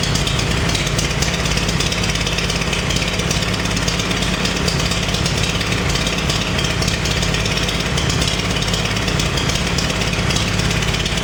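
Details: Farmall 350 diesel tractor after rebuild, block warm but temperature gauge low (thermostat suspected): idle with uneven lumpy skipping rhythm like a cylinder not firing; cracking No. 1 injector didn't change tone; fires on all four lugged in 5th; cause unconfirmed.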